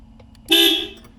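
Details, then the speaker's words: 1979 Porsche 924, single clean bright half-second honk after relay clicks with key on; horn working, though a poor connection remains. "you hear that clicking so that's the relay relay works now we turn on the key and that should make power to that white wire there and then horn should work yes it"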